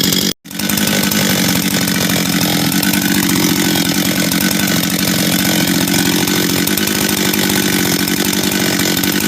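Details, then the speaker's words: Husqvarna 385 chainsaw, first start after reassembly, first heat cycles: sharp start, then steady high-revving two-stroke buzz holding even without stumbling or surging; starts and restarts easy, throttle response good — normal running. "starts restarts easy throttle response is good idle's good"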